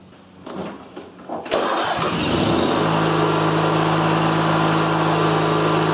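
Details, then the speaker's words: MTD riding mower with a twin-cylinder 20.5 HP Briggs & Stratton, which had been loping, then died and would not restart: short cranking, then catches and settles to a steady, even idle without hunting; throttle revs fine. "already did Idol find up sped it up and down with the throttle no issues"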